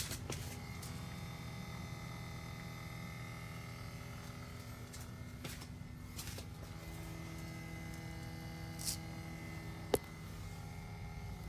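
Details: 2018 Toyota C-HR XLE, engine off, no key, just back from a rear bumper replacement: quiet steady electric buzz from the rear end, which the owner first thought was the fuel pump; confirmed as the normal EVAP leak-test pump buzz.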